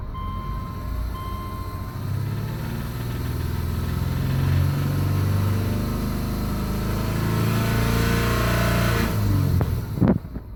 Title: 05 Legacy 2.5i knock? piston slap? tensioner pulley?